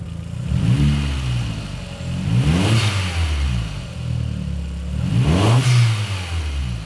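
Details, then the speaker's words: Mk4 Golf GTI 1.8T, warm after a short run, smelling very rich: two throttle blips bring a slight breathy puffing from underneath that grows with revs, a suspected exhaust leak. "You can hear it coming from just underneath. Just sounds like a slight blow that we'll investigate."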